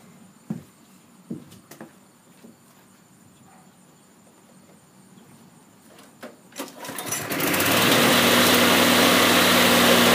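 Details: Briggs and Stratton small engine just after a quick carburetor cleaning and reassembly: a few clicks and pulls, then it catches and settles into a steady, even high-speed run with no misses.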